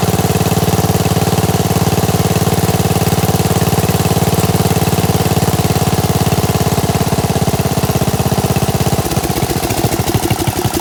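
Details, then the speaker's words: Gravely 816S with a 16HP Briggs and a replacement Chinese carburetor, rigged-up ignition, first run after about a month: steady, even putter at idle with no hunting or stumbling, constant beat; normal idle. "that's cool man sounds pretty good huh got my rigged up ignition here if i unhook this it should stall"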